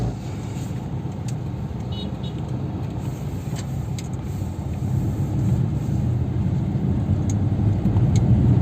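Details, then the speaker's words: Maruti Suzuki Dzire on a test drive over a rough road after both shock absorbers were replaced; one old shock was too free and the other was stuck. Only a steady low road rumble, no knocks or clunks. The suspension is now quiet and smooth. "അപ്പോൾ നിങ്ങൾ കണ്ടല്ലോ എത്ര സ്മൂത്തായിട്ടാണ് ഇപ്പോൾ sound ഇല്ല എന്നുള്ളത്. അതുപോലെ തന്നെ drive ചെയ്യാനും നമുക്ക് വളരെ കംഫർട്ടബിൾ ആയിട്ടാണ് ഉള്ളത് ഇപ്പോൾ."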